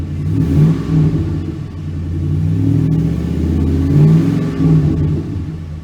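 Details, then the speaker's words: 2006 Chevy Silverado 1500 4.8 V8 after oil pressure sending unit replacement: deep, even engine note rising and falling smoothly through a few blips with no knocks or misses; healthy V8 revving cleanly, repair a success. "sounds pretty good we snapping down here Sussex I say this air was repair was a success"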